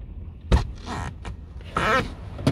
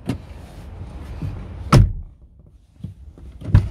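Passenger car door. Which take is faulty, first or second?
first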